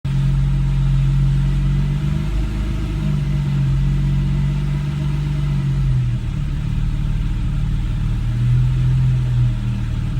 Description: 2013 Porsche 991 c4s rough idle and hesitation. I only revved it one time the rest was all the engine idelling on its own